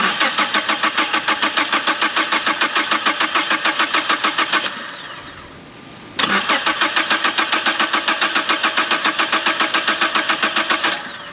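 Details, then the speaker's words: 2011 Mazda CX7, first start after engine replacement: two long cranking bursts at about 3.5 turns a second, never catching. The cause was a sensor left unplugged after timing work. No-start. "All right, I timed it right this time, and now it does not want to start. Don't know what that means."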